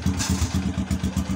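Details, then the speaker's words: Honda XRM motorcycle after fitting a full-wave rectifier regulator, running with battery disconnected: even, steady single-cylinder idle at about seven pulses a second with no skips; misfire gone, normal idle. "onon wala na siyang palya kahit walang battery"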